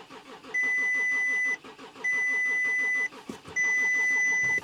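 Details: Volkswagen Touareg V6 diesel, non-runner bought partly disassembled, just fitted with a replacement battery: three one-second bursts of steady starter cranking under a dash chime, never catching; cranks but will not start, fuel delivery to injectors unchecked.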